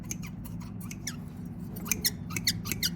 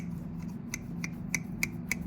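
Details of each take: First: you can see the rest you can hear the squeak and all we're going to do is just use coconut oil natural form of dw40 Second: Previously squeaky garden pruners after oiling the pivot with coconut oil: crisp, even snips about three a second, no squeal.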